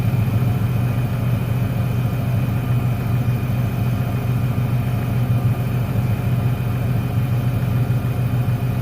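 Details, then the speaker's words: 1996 Ford Ranger 3.0L V6 lacking power; steady low idle with uneven loping beat unchanged when the last plug lead on that bank is pulled; dead cylinder misfire. "el problema está en el último al desconectarlo no se nota ningún cambio en el motor ese cilindro es el que no está trabajando"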